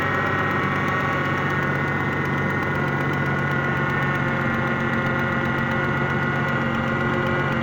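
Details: 2001 Ford Mustang 3.8L V6 at idle: fast even knocking under the engine note, which goes away when the engine is warm; power steering also noisy despite having fluid.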